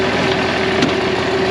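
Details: 1966 IH 1206 Wheatland standard diesel tractor, back together after an external head gasket leak, warming up with water temperature still coming up before dyno break-in: even, steady idle with a constant low drone, no knocks or misses. Healthy normal idle.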